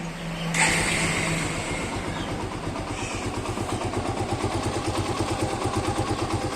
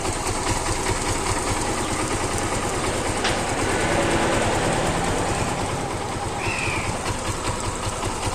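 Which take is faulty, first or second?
first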